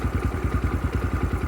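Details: 2022 X-Pro Templar 250cc (DB-K012, 5-speed) single-cylinder with newly installed Nibbi PE30mm carburetor, at about 65°F while tuning: even thump-thump beat, about eight or nine pulses a second, steady settled idle around 1000 rpm.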